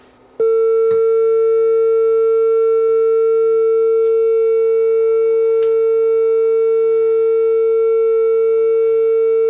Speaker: no heat it's not like it's getting hot or anything but certainly it's not working properly and it sounds like crap